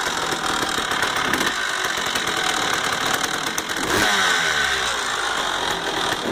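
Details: 1999 Honda CR250R two-stroke dirt bike engine running with a loose, uneven metallic rattle over the buzzy exhaust; cause unknown.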